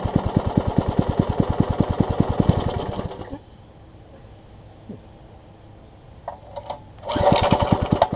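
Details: Troy-Bilt Tuffy rear-tine tiller, rebuilt from pieces; gas is reaching the carburetor but it won't keep running. Fast, even single-cylinder firing for about three seconds, then it dies and only briefly catches again: fuel starvation from a wrongly oriented carburetor diaphragm.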